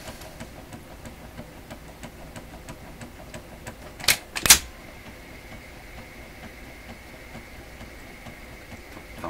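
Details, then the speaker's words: Electrohome Chippendale console with a Webster record player, intermediate idler wheel resurfaced with glued rubber, speed setting off, no platter: a light regular thump about twice a second. The uneven idler wheel thumps, so the repair failed. "Thump, thump. Well, obviously I didn't succeed in preventing the thumping."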